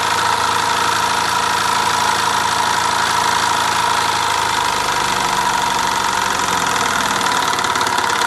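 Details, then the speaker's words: Mamod SE3 toy steam engine: fast, uneven chuffing beat of about three a second with a lumpy rhythm, idling a bit rough like a diesel; owner unsure whether it sounds right, cause not confirmed. "sounds like a diesel M it idle bit rough"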